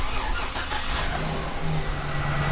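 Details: 2008 Chevy Silverado 1500 being diagnosed for extended crank: steady, smooth engine hum with no knocks, ticks or stumbles at idle; fuel pressure reads about 68 psi running versus an expected 55, slightly high.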